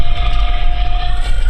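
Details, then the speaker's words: Steady mid-pitched whine on and off the throttle over heavy road rumble while driving, picked up by an electronic chassis ear vibration sensor; rear differential gear whine. "my gear whine on and off the throttle I'm hearing"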